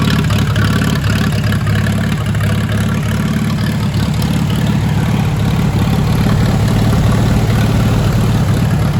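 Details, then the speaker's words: Old "Minnie" propane tractor engine running without a muffler after repair; not charging but good oil pressure, new gauge not moving; loud, deep, steady beat about three firings a second, running fine. "i love the sound of this tractor let me let you hear it"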